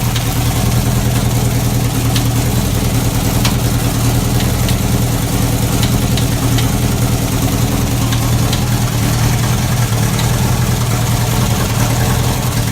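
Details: Chevy 350 V8 race car at a steady idle: irregular sharp metallic bangs on top, worsening from faint. Suspected bullet or foreign object in a combustion chamber slamming around; the engine likely has to come apart.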